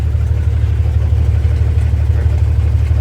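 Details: 1962 Dodge M37 truck revived after sitting about 45 years, low idle with a slight miss, about two stumbles a second; wrong plugs fitted, regular spark plugs in place of the correct tube-top type, with the plug wire ends cut off.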